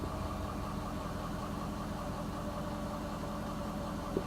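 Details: Ford 6.7L diesel, restarted after being revved to clear low oil pressure: steady, even idle with a low rumble and no knocks or misses. Oil pressure restored, engine sounds healthy.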